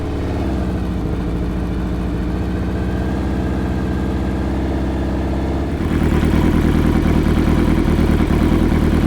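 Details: Hayabusa-swapped Can-Am X3 four-cylinder, with injectors 1 and 2 and coils 1 and 3 swapped for testing: an uneven, stumbling idle and rough revs, one cylinder dead. Readings point to a bad injector, so a full injector set is ordered.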